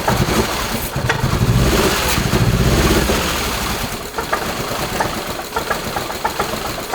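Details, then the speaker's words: Subaru Crosstrek with a swapped 2.5L engine, running a new tune: uneven, lumpy running with irregular exhaust pulses and woofs, sounding like excess air in the exhaust and the engine fighting itself; the knock sensor reads erratically. Misfire, cause not found. "It sounds like there's like a lot more air traveling through the exhaust than there should be. And it kind of sounds like the motor's fighting itself"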